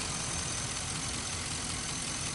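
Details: 2005 Chevy Envoy, idling after the serpentine belt and pulleys were replaced over an earlier pulley noise: steady, even idle with a constant hum, no chirp, squeal or rattle from the belt drive; healthy.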